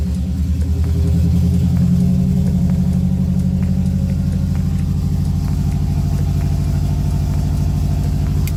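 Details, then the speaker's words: Subaru Baja after removing and reinstalling fuel pump assembly with new OEM-style seal, primed before start: catches, swells, settles into steady even low idle with no stumble or ticking. Normal start and idle. "that worked out great I got to put everything back together"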